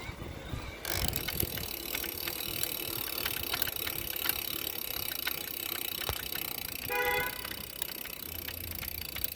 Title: knocking noise present on freewheeling